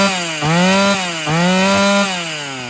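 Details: Restored vintage Brazilian-built chainsaw, engine now running smoothly after rebuild, cover not yet refitted: two clean throttle blips rise and fall smoothly, then settle toward idle with no knock or rattle; healthy running.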